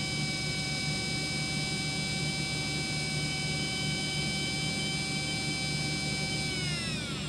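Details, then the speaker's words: Brushless RC motor on a SkyRC motor analyzer during the standalone timing test: even steady whine at constant pitch, then a smooth climb with no stutter; timing revving is smooth, motor healthy. "you hear how that was pretty smooth. A motor that is dying will have erratic timing revving."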